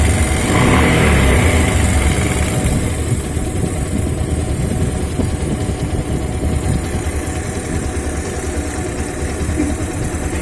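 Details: Bajaj Pulsar 150 single-cylinder motorcycle running with a loose metallic rattle over its beat: timing chain noise.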